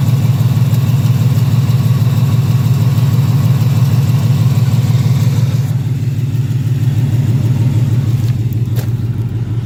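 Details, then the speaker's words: 2018 Ford Mustang GT at idle after sitting a few hours: light, regular tick about three per second over a steady low idle, heard from the bottom of the engine on the passenger side only. Owner doubts bottom-end trouble; source not pinned down. "So I'm hearing like that clicking sound. It sounds like it's coming from the bottom of the engine. It's only on the passenger side."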